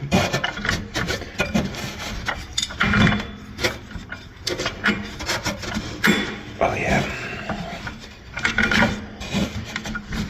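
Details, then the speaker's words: Polaris triple snowmobile engine that locked up after running a few minutes, turned over by hand: tight, slow uneven bursts of dry rasping and rubbing; owner suspects the top end is gone, not confirmed. "I think this is I it spins I mean it's it's tight [Music] something's something's going very sounds like the top end is gone"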